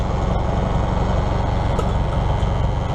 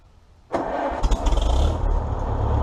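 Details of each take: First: 1953 Farmall Super M tractor with a loader just swapped over and plumbed in: steady low rough drone over idle with an even buzz underneath as the loader hydraulics are used; hydraulic pump buzzes under load, cause unclear. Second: 1953 Farmall Super M tractor, 12-volt distributor ignition, just after idle mixture and idle speed adjusted: catches straight away and settles into steady, even low idle with no misses or knocks; normal idle.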